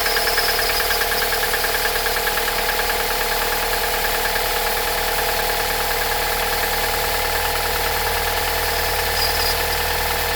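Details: Toyota 5S-FE engine at cold start, worse in frost: fast, fairly regular metallic tapping about three per second over the idle; source of the knock unclear.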